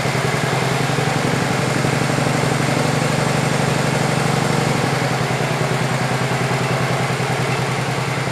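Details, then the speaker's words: 1967 112 round-fender small engine after compression check and carburettor needles set to 1½ and 1¼ turns open, two-stroke oil in it: even, steady single-cylinder thump with no misses or knocks; runs fine with some smoke. "it's got a little bit of a smoking problem but it does have some two-stroke oil in it"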